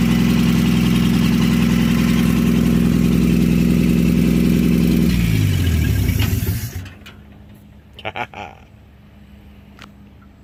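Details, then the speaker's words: 1952 Chevy engine, weeks after freeing seized parts and the carburetor, started with a splash of fuel since the accelerator pump isn't working; run briefly with no coolant; smooth, even idle for about five seconds, then shut off and winds down. "we got through all that got it all taken care of and now a couple weeks later she's running and idling"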